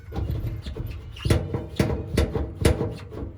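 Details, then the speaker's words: Samsung dryer, unplugged, drum turned by hand: dull thumps about twice a second, louder on one side, because the drum felt seal has come off and unbalances the drum. "As you can hear, guys, I'm spinning it around manually, and I'm already hearing the thump. So, so far, I've already determined, guys, that this quote-unquote seal has come off and causing like a disbalance."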